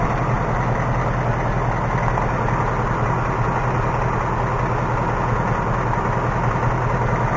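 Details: 2018 Mustang GT V8, idling, recorded underneath with a stethoscope; steady idle with light quick even ticking, little heard at the oil pan, worse on the passenger side; source not pinned down.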